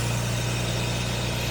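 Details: 1967 Jaguar Mark 2 idling during an alternator load test (13.7 V loaded, 13.75 V unloaded, normal): smooth, even low hum, no knocks, misses or squeals; normal idle.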